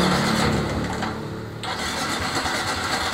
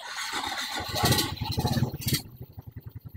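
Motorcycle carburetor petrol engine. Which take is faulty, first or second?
first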